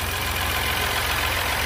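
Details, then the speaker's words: Ford EcoSport Dragon engine idles with a faint ticking rattle over a low hum, caused by timing belt wear from the wrong engine oil; the engine had to be opened. "tá famoso motor Dragon lá e está com barulho nervoso aí você percebe aí ó"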